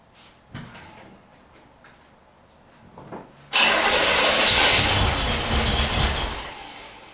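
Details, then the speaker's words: 1977 Corvette, not started in over six years, cranking with fresh fuel: faint pops then a loud burst and backfire as it briefly catches and dies; no start yet. "oh just a little backfire it's all right so uh okay"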